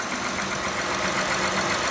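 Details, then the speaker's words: Honda Odyssey idling after alternator replacement with Denso remanufactured unit and serpentine belt reinstalled; steady even idle with smooth hum, no whine, squeal or chirp from belt area, charging at 14.2–14.36 V; normal idle. "looks good, no noise, and also the voltage is showing 14.2, and you can see 14.36."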